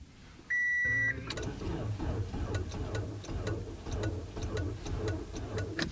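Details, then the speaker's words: Car on a cold winter morning, struggled to start the day before: warning chime then only scattered dry clicks, no cranking; dead battery suspected, later jump-started with portable jump starter. "pretty sure that's a dead battery"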